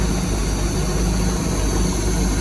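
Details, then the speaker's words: 1979 Bayliner boat engine, vintage and rusty with a new fuel line and a rusted-off choke: deep even rumble, steady speed, no knocks or misses, very little blow-by; normal idle. "it's running. Sounds good. It does."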